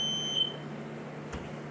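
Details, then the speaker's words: Sea-Doo GTI 130 after replacing an engine that threw a rod: one clear high beep at key-on over a soft steady hum as the fuel pump primes, before a successful first start. "What happened? Just cycling. Oh. Cycling the fuel pump."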